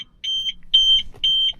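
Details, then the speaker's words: Old Audi A4 that starts but dies straight away, and the diagnostic dongle would not connect. Three steady high warning beeps about half a second apart over a quiet background; a warning chime during the crank-and-die no-start. "and it's currently a non-start. So it start actually, but it'll just die straight away."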